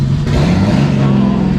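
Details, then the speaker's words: Barra engine in drift car 'Penny', revving through the exhaust and still needing a water pump: loud rev with an uneven, lumpy pulse; one cylinder not firing, so it still runs on five. "Still run on 5 cylinders because that one hasn't come yet anyway."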